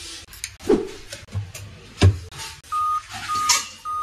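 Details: Dell Vostro laptop at power-on: steady high-pitched half-second beeps repeat in a short series, persisting with keyboard disconnected; start-up error, RAM or motherboard suspected, unconfirmed.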